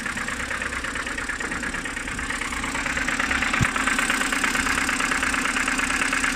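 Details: BMW N52B25 on a morning cold start: fast, even ticking knock over a steady idle, seemingly from the oil filter housing area; cause unknown.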